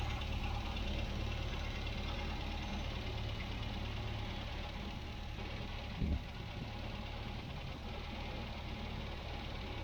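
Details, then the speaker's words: 1967 MGB Mk1 idling after reinstalling and retuning the carburettors (both found too lean, adjusted one flat), new heater pipe and side covers fitted: steady, even low idle with no misses or hunting, soft background patter; running well, normal idle. "Okay, the job is done. The car's running well."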